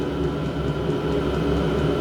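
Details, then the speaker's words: Diesel air heater on a test bed, pump mounted at an angle and fuel tank raised to clear air after a failed first start: steady, fairly noisy fan whoosh with faint constant whine and even combustion rumble, no pulsing or sputter; running properly. "that's what we've done right I if you can hear me cuz of the noise is quite noisy to be honest with you but uh I'm half je anyway"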